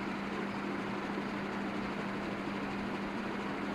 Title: KDK ceiling fan humming sound at low voltage